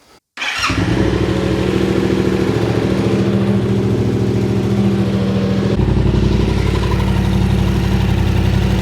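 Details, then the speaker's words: Yamaha Tenere 700 just started after the 15,000 km oil and K&N filter change with Penrite 10W40, run to fill the filter before checking the sight glass. Settles into a steady, even idle with no knocks or misses: normal idle. "So yeah, definitely a good idea to start it up, get the oil filter full of oil and everything, and then you can get a more accurate reading of how much oil's in there."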